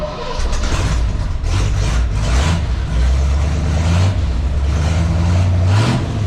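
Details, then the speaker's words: 1966 Chevrolet C10 with new homemade exhaust system: deep throaty exhaust rumble with a few light throttle blips, steady and even, no rattles or leaks; healthy running. "we need a sound clip we need to know what these things sound like all right guys i'm gonna get the camera set up we're gonna fire this thing up see what she sounds like"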